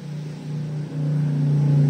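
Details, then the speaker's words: Yamaha RX King two-stroke with new connecting rod, bearings and piston, revving: coarse, uneven rough low drone through the rise; cylinder block found about 6 microns out of true, not precise. "ini keluhannya stang piston baru bearing baru semua diganti baru tapi tetep aja bunyinya kasar"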